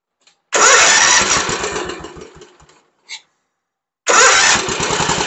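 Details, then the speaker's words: Lawn mower that wouldn't start, now fed fresh fuel from an auxiliary tank straight to the carburetor: catches, runs and fades, then fires strongly and keeps running, isolating a fuel supply problem. "all right I've got the fuel line hooked back up to the carburetor to see if it starts"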